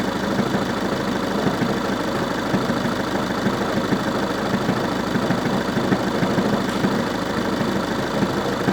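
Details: Volkswagen Passat B6 1.9 TDI idling: uneven knocking patter over the diesel clatter, roughly two a second, origin not pinned down; engine knocking at idle.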